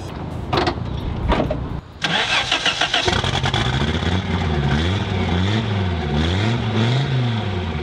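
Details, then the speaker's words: 1986 Audi 5000 S turbo, long non-running, cold start valve not firing so started on brake cleaner: catches and settles into a wavering, lumpy run with soft revs that never build; sounds flat, lacking power. Cause unconfirmed. "it sounds like it has so much potential to be rowdy but it's so not rowdy"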